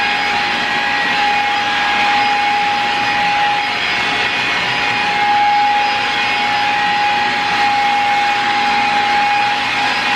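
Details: Shark Rocket upright vacuum that will not suck or pick up, tested on carpet before disassembly: steady motor hum with constant mid-pitched tone and airy rush, runs evenly but airflow sounds restricted; vacuum found heavily clogged, beater bar checked next.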